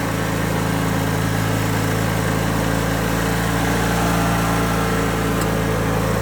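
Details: 2003 Craftsman (AYP) DYT4000 hydro riding tractor with electric PTO and 48-inch deck: steady putter at an even rate, no knocks or misses; engine running normally.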